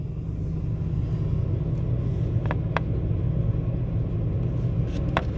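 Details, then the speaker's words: 2005 Toyota Tacoma V6 started fully cold, code P0301 cylinder 1 misfire, customer complains of very unstable engine: shaking badly at idle with a deep, uneven, lumpy rumble and a flashing check engine light. "temblando mucho en este momento este este este motor estoy poniendo acá esta botella de agua como referencia para poder ver el movimiento"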